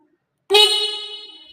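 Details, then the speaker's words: Honda Scoopy-i whose electric starter does nothing, checked before replacing the battery: with the ignition on, the horn gives one loud, clear, steady blast. The horn works properly, while the starter stays silent. "แตรทำงานนะครับดังแล้วก็ลองสตาร์ทดูนะครับ"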